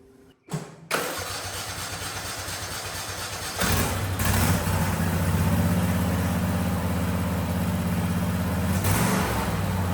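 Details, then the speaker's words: $50 barn find that had sat, after cranking and brake-clean work: short crank, catches and settles into even low idle with a brief rev rise, slightly smoky possibly from sitting; normal start and idle. "But hey guys, it runs. Sounds like it's running good. It was a little smoky, but hell, that might just be from sitting."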